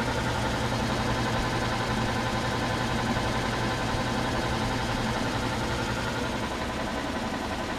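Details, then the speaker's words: Antique Frigidaire W-5 refrigerator condensing unit after charging, cold control turned up and started: steady even low hum with soft mechanical churn, no knocks or rattles; nice and quiet, normal compressor running. "So I'm going to turn the cold control up here and start it up. Nice and quiet."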